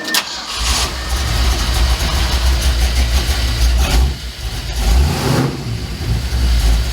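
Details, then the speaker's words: 1967 Mercury F-250 3/4-ton drag truck, vacuum advance disconnected, timing about 9 degrees (1 degree over): cranks, catches at once and settles into a steady deep burble with a brief blip, idling smoothly; runs good. "And now, of course, when I hook up the vacuum advance again, she'll be right on the money, but pretty happy. Runs good."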